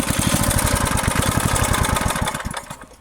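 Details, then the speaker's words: Free 30-year-old Briggs & Stratton rototiller after freeing stuck choke, throttle and cables: even, quick single-cylinder putter at steady speed, winding down cleanly at shutoff – normal running, "running perfect". "Well, I actually think this is running perfect. It's running really nice."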